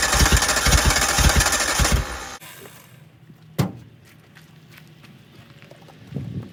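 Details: 1988 Suzuki Samurai parked since the late 1990s, on a gravity-fed temporary fuel tank: catches and chugs unevenly about two seconds, then stumbles and dies. Owner suspects fuel starvation, not confirmed; rough running.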